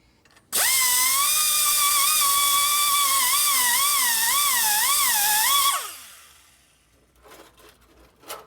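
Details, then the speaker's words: Die grinder porting an aluminum valve bowl on an S&S Evo Harley head, steel valve seat used as a guide to make it round: high steady scream, pitch wobbling down and up as the cutter digs into the bowl, then spins down. "Okay, we're going to use the valve seat as a guide here to make it round. You hear the valve bowl getting dug in."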